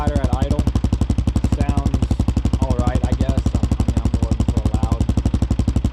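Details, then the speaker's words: Single-cylinder with Big Gun exhaust just repacked, silencer core installed: loud, even thump about three beats a second, steady; much quieter than before repack, healthy idle. "all right y'all so i just got the silencer core installed right there and we'll see how much difference it makes definitely a lot quieter"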